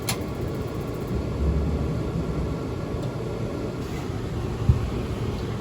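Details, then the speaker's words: RV furnace bench-started after cleaning fuzz from sail switch, ductwork not connected: steady low blower rumble with one sharp click and no burner whoosh; gas not let through. Sail and high-limit switches later test fine; control board suspected. "i just heard the click it's not letting the gas through i guess i still have more work to do"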